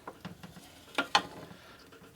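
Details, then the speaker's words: 1947 Harley EL 74ci knucklehead bottom end during a rebuild, checked by rocking the part by hand around the circle; two sharp metallic clunks show free play at the loose spot in the bearings, with tight spots elsewhere. "go over here and check this side I can move it there you can hear"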